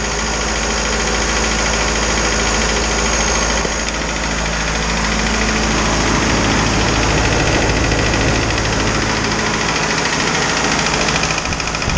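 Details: Isuzu 4BD2T diesel on its first start after the build, once the fuel system was primed of air: a loud, steady clatter at about two to three beats a second, holding an even idle; running normally.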